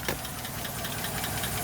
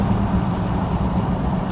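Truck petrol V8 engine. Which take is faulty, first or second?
first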